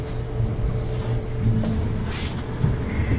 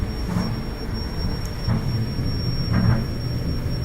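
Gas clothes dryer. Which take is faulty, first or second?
second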